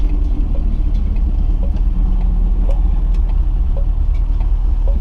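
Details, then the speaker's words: Mk3 Ford Cortina test drive after replacing axle shaft bearings, accelerating better but still vibrating: heavy low road drone with faint light rattles about once a second; lots of shaking, another unknown source still vibrating. "there's a lot of shaking a lot of rattling [Music] as you can hear there's still a lot of noise"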